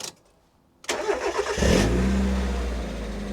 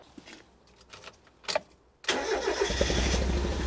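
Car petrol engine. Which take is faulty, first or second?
second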